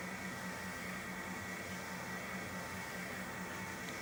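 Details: PRO-FORM Cardio Strong treadmill (PFTL71013.0) running after bearing replacement: soft, even hiss-like running sound with a faint steady hum and no grinding; normal running.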